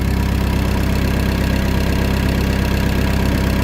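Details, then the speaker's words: Mk1 Ford Escort with rebuilt YB engine after fixing low oil pressure, oil pressure about 78 psi, four times before: steady, even idle with smooth low hum, mechanically much quieter, no tapping or rattle; normal idle. "so already it's a lot quieter mechanically which is great"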